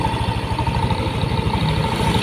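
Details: Yamaha NMAX first-generation single-cylinder scooter at a warm idle. A JDiag M200 scanner shows 1500–1600 rpm, rising and falling. It makes a quick, even putter with a faint steady tone. Smooth, normal idle.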